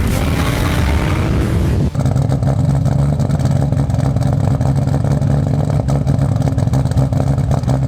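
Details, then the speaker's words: Toyota Supra with JDM swap engine, stock block, Precision 6766 turbo aimed at 700–800hp: loud, deep idle with choppy, slightly uneven exhaust beat just before engine removal; low compression on one cylinder. "well this will be the last time you hear the car running like this because we're about to shut it off and pull the motor out because it's low on one cylinder so yeah here it is last time you'll be hearing it like this sounds pretty good though"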